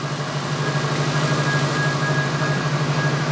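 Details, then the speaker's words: 2005 Subaru STI after TGV repair (bolt and JB Weld), running once forgotten vacuum plugs were fitted and swapped fuel feed/return lines corrected: even steady idle, smooth low pulsing rumble, no misses or ticks; normal idle. "But I swapped those, started right up. So, it's running again."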